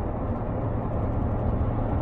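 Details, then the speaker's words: BMW V8 cruising in fifth gear with a slight touch of throttle on the way home from work: steady, even exhaust drone with no rumble or knocks underneath. Normal, healthy drivetrain. "no that's perfectly normal absolutely normal just a sort of increase of the v8 verbal we can hear through the exhaust and throughout the rest of the car"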